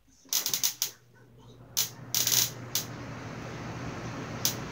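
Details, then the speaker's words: Household fan switched off and back on: sharp snapping crackles in quick bursts over a low steady motor hum, like light static as if about to shock; owner fears it might burn the house down, cause unknown. "that's the sound that's that's the sound I was hearing when I turned the fan back on it was making some light static related noises like it was about to shock me or something"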